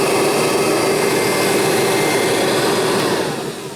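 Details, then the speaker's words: Kirby Heritage vacuum running: smooth, steady high whir with no rattles or surging, fading out at the end. Normal, quiet running, not loud at all. "a nice quiet machine off the tile tell you that the Heritage is a nice quiet machine it's not loud at all"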